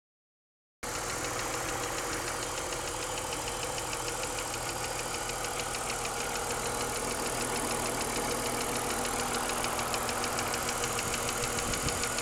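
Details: BMW 323i at idle after full cylinder head rebuild and machining (valve job): fast, sharp even ticking/pinging from the engine top end, louder than before the rebuild; cause not found.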